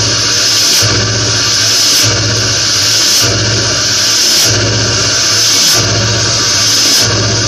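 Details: Ford Powerstroke diesel, cold start in snowy weather: sharp hissing puffs about once a second over idle, continuing even while driving for about 2 miles until warm; cold-start sneeze, cause unknown.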